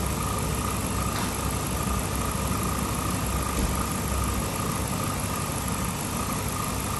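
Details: 2007 Chrysler 300C Hemi V8 that was overheating, after radiator work and coolant refill, idling with heat on to bleed air: smooth, even V8 idle, faint steady fan hum behind it, no knocks or ticks; normal idle.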